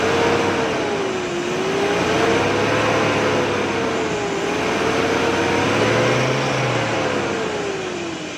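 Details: Toyota (Datsun) pickup on CNG with starting problem, fixed by adjusting gas that was running slightly lean; engine catches and runs smoothly, revs rising and falling evenly, no misfire; normal running.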